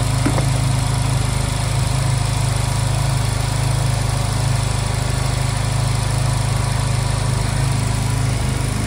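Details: Honda Silver Wing scooter that would not start, after new spark plugs were fitted and during air/idle synchronization adjustment: even, steady low putter at about four beats a second, no misses or stumbles; healthy, settled normal idle.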